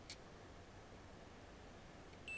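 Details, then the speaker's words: Dead Quad 9L active speaker, its slow-blow fuse tested on a multimeter continuity setting: near-silent room, then a sharp steady high beep that holds. The fuse is intact, so the fault lies deeper. "oh fuse is okay that's worrying we need to delve deeper"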